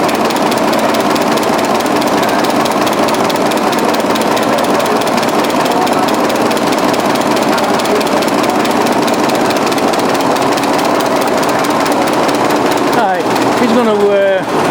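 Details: 1920s 45 hp General Electric genset, serviced after over 10 years unrun, governor being adjusted: steady, even chuffing at constant speed, no knocks or misses; sounds healthy.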